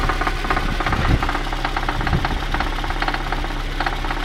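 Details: VAZ 2111 engine: sharp metallic knocks, uneven in timing, tapping through a rough idle; clear internal engine knock, source unknown.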